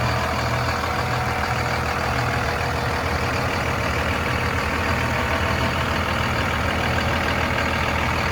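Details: 2001 Dodge Ram 2500 4x4 with 5.9 Cummins diesel, 6-speed manual, 81,000 miles, fully serviced: steady, even diesel clatter at idle with a deep exhaust rumble and no odd knocks or misses; healthy idle.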